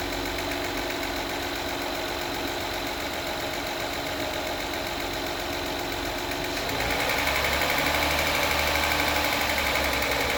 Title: 2016 acura rdx ticking noise consistent with rpms after spark plug change and timing belt.